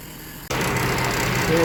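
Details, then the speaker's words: 2004 GMC Envoy, 4.2 inline six, at its first start after replacing the power steering pump whose impeller shaft broke in half. It settles to a steady, even idle with no pump whine or groan, and power steering is working again. "good shape hope working fine the power steering is back working"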